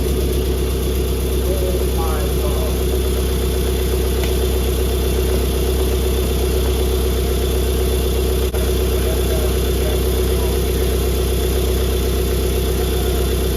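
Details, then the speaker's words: Flood-damaged BMW F20 diesel, first start after fuel system primed by cracking injector lines, DPF not attached, fuel system still bleeding; steady, even idle clatter with smooth low rumble, no misses or knocks, running well. "but it's running unbelievable so just think about that someone gave up on this car"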